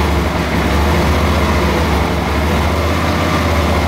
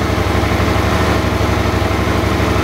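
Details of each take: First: Suzuki DL650 V-twin after the intake manifold was replaced: still a deep, uneven idle with stumbles and pops back through the rear cylinder intake. It is probably running lean, not an air leak. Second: Suzuki DL650 V-twin with a replacement fuel pump fitted (the old pump's rubber seal had failed, so pressure was dropping): a steady, even idle, slightly raised, with no sneezes or stumbles. The problem is solved.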